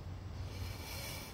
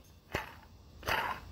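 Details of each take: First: 2008 Buick Lucerne 3.8L new water pump turned by hand: soft, even whir with no rattle or grind and good tension; healthy bearing, unlike the old pump, which spun freely and rattled. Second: 2008 Buick Lucerne 3.8L, old water pump removed and spun by hand: rough, gritty growling from a worn pump bearing, the growl the car had been making; the pump was also leaking and is replaced.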